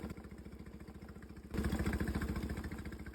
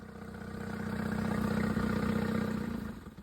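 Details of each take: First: Suzuki outboard on an O'Day sailboat, first start after checking the oil, before running fresh gas with Seafoam: it started right up but idles with an uneven, loping putter. Rough idle, cause unknown. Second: Suzuki outboard on an O'Day sailboat, tested in forward via a Dometic remote control: steady even putter about four beats a second, swelling and fading smoothly; normal running in forward gear.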